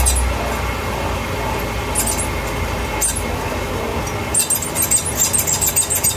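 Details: 2012 BMW 328i Cabriolet (E93), 6-speed: high rapid chirping squeal from the rear only when accelerating in the lower rpm range of each gear, camera under car at differential; owner suspects dust cap rubbing on diff or the differential itself.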